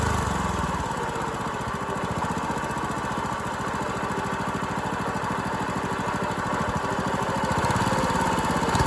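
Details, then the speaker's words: Dumpster go-kart engine with valve parts missing under the valve cover, run unloaded after a hard, backfiring start. Uneven loping run with irregular firing about three pulses a second, hunting rather than settling. Owner suspects timing and valve lash. "Does not like starting. It's backfiring. I feel like timing is wrong."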